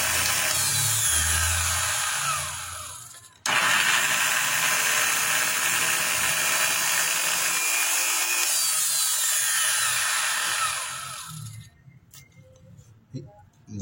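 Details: Bosch GWS 22-180 angle grinder switched on before opening: harsh, uneven high whir with scraping rattle instead of a clean hum, lights flicker when started; loose motor cooling fan.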